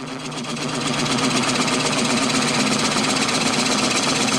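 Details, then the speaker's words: Wood lathe taking the tenon off a finished bowl's bottom in a jam chuck: rapid, steady chattering rattle about four times a second as the bowl, seated slightly crooked, flexes in the chuck; not a big deal with light cuts. "that sound you hear is the bowl flexing in the Jam truck it's not quite in there straight but it's not actually a big deal"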